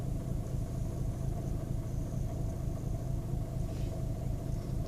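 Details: 2010 VW Golf 1.6 BlueMotion diesel on starting: a low, uneven idle with a lumpy throb roughly once a second and no steady rhythm; a rough idle with cause unknown.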